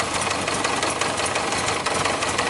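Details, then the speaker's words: Yamaha Diversion (possibly 600, 1998) that wouldn't start, running with the leaking fuel pump off: uneven, faltering idle with irregular pops and dips, sounds starved of fuel and about to stall; running out of fuel suspected. "So, it sounds like it's run out of fuel."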